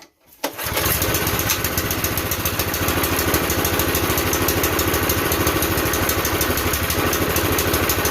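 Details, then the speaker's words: Campbell Hausfeld CE2000 gas air compressor, 5.5 HP single-cylinder engine, fuel on, choke on, belt off: one quick pull, then it catches at once and settles into a steady, even chug with no misses. "I would say at that point that sounds pretty promising."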